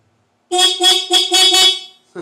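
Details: 2011 Kawasaki Ninja 250 with the key on after about an hour on a battery charger, engine not running. The horn gives five short, strong honks with a clear, steady pitch; normal horn.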